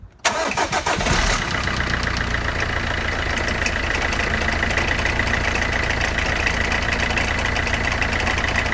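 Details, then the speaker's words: Peugeot 207 just after replacing the worn crankshaft bottom pulley for the auxiliary belt: on start-up it drops to idle with a rapid, uneven knocking from the front belt drive; noise persists, belt tensioner suspected, not confirmed. "It's still making the [bleep]ing noise well that's annoying, having thought we had solved the problem with the bottom pulley we are back to square one"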